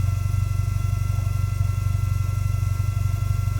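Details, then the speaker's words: Toyota GT4 with a new in-tank fuel pump and new exhaust: a steady, high, thin whine over an even idle that grows louder after about 10 minutes running; noisy fuel pump suspected, owner considering a fuel resonator/pressure part. "You hear that? Yeah, yeah. That's not right, is it? No. The old fuel pump's a bit whiny."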